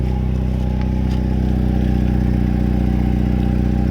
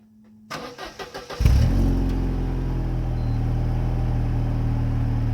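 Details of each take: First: Mercedes SLK 230 petrol engine idling with a loud, deep exhaust drone and steady low pulsing despite an added muffler and steel wool in the rear muffler; a leak is suspected, possibly rear or front of the muffler. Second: Mercedes SLK 230 after welding a leaking muffler, with an added muffler and steel wool already fitted: it cranks, catches and idles with a deep, smooth exhaust note, no hissing or puffing leak; exhaust now seems fixed.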